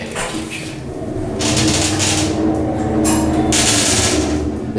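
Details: Traction elevator originally Otis, later modified by Montgomery and others and now by Schindler: the hoist motor gives a steady hum with rough, rasping surges and sounds very unhealthy, cause unknown, while the neighbouring unit is quiet.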